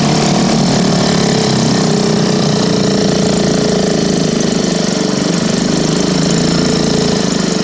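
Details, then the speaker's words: Elgin 2.5 hp single-cylinder outboard, thought late-1940s to 1955, running in a test barrel after the points were reset to .016 from .020 to cure no spark. Loud, fast, even buzzing beat firing steadily without misses: runs smooth and healthy. "It runs pretty smooth."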